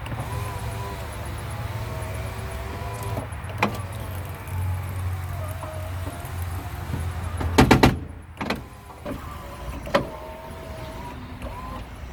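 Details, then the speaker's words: Honda Prelude 5th gen (1997–01, BB6) power window: motor hums with wavering pitch and stalls, clunks and knocks between runs; regulator binding, to be replaced. "seems to be working but something's just not right with it"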